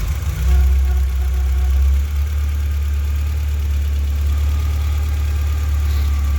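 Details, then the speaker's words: Mk2 Golf idling high and slightly uneven after a vacuum hose was taped and resealed; with blue temperature sensor plugged in it idles high and misfires, unplugged it runs fine: suspected faulty temperature sensor. "So I think this blue connection is some kind of temperature sensor, because, well, obviously that's the problem, because when it's plugged in it idles high and misfires and nearly dies, and when it's unplugged it runs perfectly fine."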